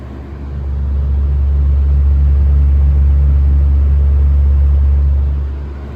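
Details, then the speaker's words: 1970s Lasco 12-inch Super tilting box fan, before restoration, speeding up through the settings (medium mentioned): a low, smooth hum swells, then holds steady with no rattle or scraping; the fan runs normally. "pretty smooth with this this one it's already moving a good amount of air"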